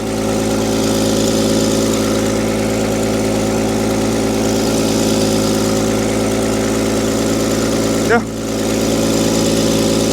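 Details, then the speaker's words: Willys jeep barely run in 25 years, cold-started after a 25° night with choke, cranks right up; smooth, even idle with steady low hum, no ticks or knocks; normal idle. Radiator has a slow centre leak. "runs real good I can see it's been last night it was like 25° so sat cold block completely cold has not been cranked today as soon as it's actually choked cranks right up"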